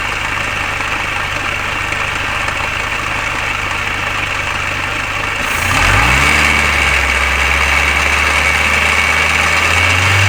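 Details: Mini Cooper R53 engine at idle with a brief rev: busy metallic rattle. Timing chain tensioner, timing chain guides and PCV valve already replaced; source still unknown.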